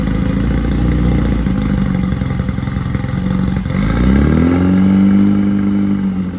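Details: 1968 VW Beetle rally car, newly installed air-cooled 1776cc flat-four during break-in on a roughly 95° day: even, steady beat that climbs cleanly when revved and settles smoothly; fresh engine healthy, normal running.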